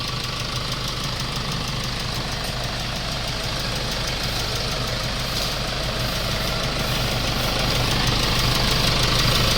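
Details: Hyundai Starex with replacement D4CB diesel engine fitted to cure blowby, no smoke or oil spray from the oil cap, still on water coolant: even diesel clatter at idle, steady beat, no misses or deep knocks; normal idle.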